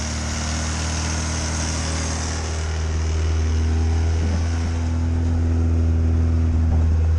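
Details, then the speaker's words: Classic Fiat Spider, just converted from a mechanical to an electric fuel pump: low, lumpy idle pulsing about four beats a second, warming up slowly on full choke. The carburetor is badly gummed up and the choke had to be pulled fully out to start. "So it turns out, yeah, the carburetor is super gummed up and the choke needed to be pulled all the way out for it to start running. So I'm just letting her warm up slowly with the choking."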